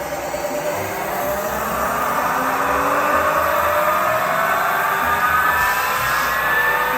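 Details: ZF 63IV marine transmission from an early-2000s 36 ft Sea Ray Sundancer with twin 8.1 Mercruiser engines, after dressing a nick on the intermediate drive gear with a Dremel; smooth gear whine rising with shaft speed, knock gone.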